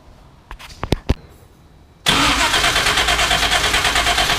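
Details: 1976 Pontiac Trans Am, twin-turbo with Microsquirt and four-speed, starting after a few clicks and holding a fast idle near 2000 rpm. Timing read 43° and was set to 20°, yet it still idles fast; cause unknown.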